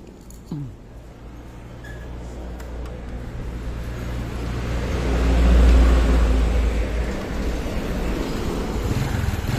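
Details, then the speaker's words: Honda Supra X 125 engine, after new piston rings and valve seals to cure white exhaust smoke: single cylinder settles into an even, steady, smooth idle with no knocks or misses and no longer smokes; normal idle. "Nah, ini lumayan halus ya mesinnya tuh. Ini udah enggak ngebul."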